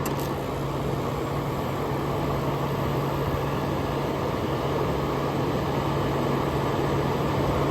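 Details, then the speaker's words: 1994 EQK-rebadged Fedders A2Q10F2GB 10,000 BTU air conditioner with Rotorex rotary compressor, close-up at startup: steady low compressor hum under smooth fan rush, no rattle or clatter; very quiet, running normally. "Very quiet for a Rotox rotary."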